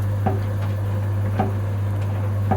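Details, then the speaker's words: Samsung tumble condenser dryer running: a steady motor hum with a dull, fat thud about once a second from the worn rear drum bearing, which needs replacing. "you can hear the fat fat thud sound that's the rear bearing that we need to change"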